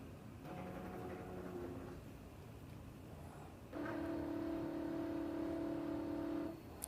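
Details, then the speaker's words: Sewing machine connected to QCT software, needle centred in the sewing area: two short steady motor hums, the second higher and louder, as the motors engage and self-check on startup. This is normal. "sound is the motors engaging and checking to make sure that they work."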